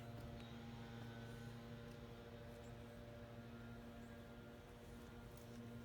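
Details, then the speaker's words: 2001 Toyota Sequoia, 217,000 miles, sputtered and wouldn't start: in-tank fuel pump powered directly from a 12 V charger hums steadily with a faint tick, then suddenly stops; intermittent fuel pump failure. "oh interesting huh it's not working all of a sudden this is intermittent and i've got nothing right now"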